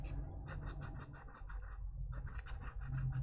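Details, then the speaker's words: Apple HomePod subwoofer with bass issues and farting from suspected DC offset, cone pushed by hand: dry, rhythmic scraping where a good driver stays silent; burnt, rubbing voice coil. "that should not sound like that should instead sound like this like nothing so that subwoofer is definitely roasted and it's uh it's physically in good condition"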